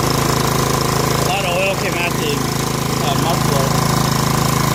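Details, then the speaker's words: Snapper SR1433 rear-engine rider mower, sat 8 years, after carburetor rebuild, choke on: catches and holds a steady, even putter with no misses; normal running, muffler deposits likely burning off. "Hey, it runs. Let it run for a minute. Stuff in that muffler to burn off, I think."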